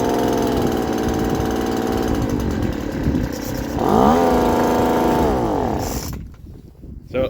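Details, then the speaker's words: Poulan Pro two-stroke leaf blower after muffler replacement and new fuel filter: even buzz rising cleanly with throttle, then shut off, no rattle or exhaust blowing, noticeably quieter; normal running. "all right so now that the new Mufflers on as you guys saw it we're gonna start it up and see how quiet it is oh it's so much better"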